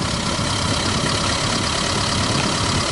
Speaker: Like a hammer sound like a hammer sound - something was beating inside of it